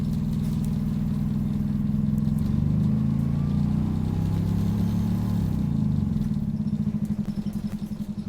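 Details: Optare Solo CTP OS20 bus YJ12GVR on route 309, Poplar Baptist Church to Canning Town Station: loud, rough low diesel drone that swells and sags with a clattery beat; engine thrash with surging, wandering revs, suspected gearbox slip, unconfirmed.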